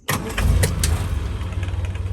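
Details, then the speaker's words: 1970/71 Land Rover Series IIA 88in petrol, 2.25 8:1 compression three-bearing carburettor engine with unleaded conversion: catches within a moment on the key and settles into an even, steady low idle; normal cold start. "starts really sweetly and then here we have the little 2.25 8-1 compression ratio three bearing engine which i think is the original certainly it's period correct for the carburetor so it's running really really nicely"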